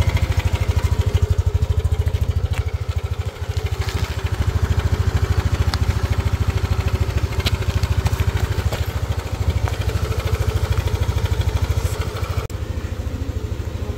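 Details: Yamaha NMAX V2.1 scooter idle with a heavy helicopter-like chopping throb about three times a second; cause found to be the cam chain tensioner, noise gone after replacing it.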